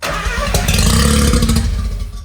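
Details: Mazda RX-7 rotary, non-running project with ignition wiring being reworked: engine catches with a short burst of firing, then dies within two seconds; ignition loses its power feed once the key leaves crank.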